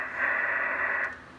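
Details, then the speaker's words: Drake TR4 transceiver, serial 81037, with noise blanker, after band switch cleaning and tube reseating, on 80 meters: steady high hiss with no signal underneath, high noise floor; peaking IF cans and trimmers afterwards perked it up. "Here's 80 meters here. Yeah, it's got some hiss to it. Whoa, it's got some hiss, all right."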